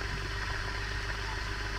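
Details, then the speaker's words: Ceiling fan after repair, bearing not replaced: soft, steady low hum with no scraping or rattle; the earlier loud noise is gone and the fan is healthy. "आप पहले तो आवाज काफी आ रहा था आवाज बिल्कुल ही नहीं आ रहा है इसमें देख लो है यह कंप्लीट हो गया आपका यह पंखा"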